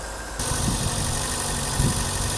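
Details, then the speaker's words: 1984 BMW 318i E30, sat for 4 years, idle smoothed after battery replacement, charging voltage confirmed: steady idle that stumbles with a couple of uneven low thumps, a newly developed intermittent misfire. "we got charging voltage hell yeah guys this thing is running great it just developed a little bit of a misfire right there"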